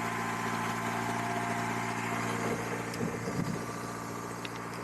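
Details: 1999 Acura CL, small-displacement engine, frozen in a sub-freezing Minnesota winter with a weak battery, jump-started through the remote start. It makes an extended crank, then the engine labours into life with an uneven beat and a few knocks before settling to idle.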